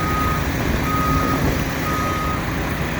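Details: Construction site during watermain trench excavation: three evenly spaced high beeps, about one per second, over a steady diesel rumble; the reversing alarm works normally.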